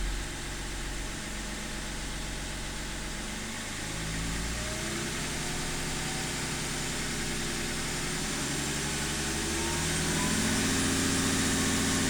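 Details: BMW E39: uneven lumpy idle with wavering low rumble and faint tone drifting upward; rough idle, cause unknown.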